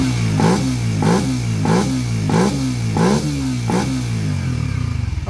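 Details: Engine that suddenly got loud, after the non-original timing chain tensioner was replaced: six quick, even throttle blips rise and fall cleanly with no rattle or slap; now quiet, normal revving.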